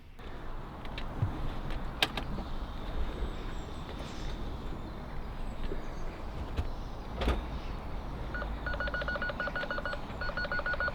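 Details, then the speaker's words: BMW 3 Series in reverse after reconnecting a parking sensor. Previously it gave one continuous fault beep; now a repeating pattern of short high beeps plays over door and handling clunks, so the parking sensors are working again. "Excellent. Well, that sounds different than it did before."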